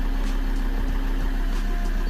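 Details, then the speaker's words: 2013 Ford Ranger 3.2L five-cylinder diesel with a crank-no-start and P062D fuel injector driver circuit code. After bleeding the fuel system it started right up: steady, even low idle rumble with no misses. The check engine light is still on. "Okay, let's see if we can start up. Yep, started right up."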